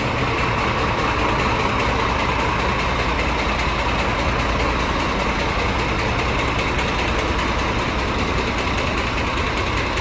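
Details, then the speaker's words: Scania truck with DC13 diesel at idle: a steady rap about two or three times a second from cylinder 5; camshaft, connecting-rod bushing or bearing first suspected, traced to broken rocker arms. "Стук идет у нас с 5-го цилиндра, тут либо распредвал, либо палец шатуна."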